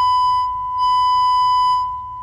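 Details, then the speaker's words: Vintage Jensen V20 upper driver fed a high-frequency test tone from a function generator after diaphragm cleaning: steady tone with thin buzzy rattle from misaligned diaphragm; realigned until clean. "I gotta hear that one hey I'm still rattling"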